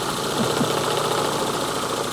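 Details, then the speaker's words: Renault Twingo with ECU fault, running on two cylinders; strong spark and new plugs: removing a plug lead leaves an uneven, lumpy idle with a hollow, irregular beat and missing pulses; engine running on one cylinder. "And then take a listen if I remove this, for instance. Now we are running on 1 cylinder."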